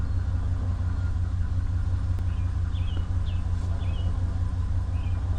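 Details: 2019 Ram 1500 that had a no-start with no power, now running: low, even rumble with smooth steady idle, no knocks or misses, birdsong outside; normal idle.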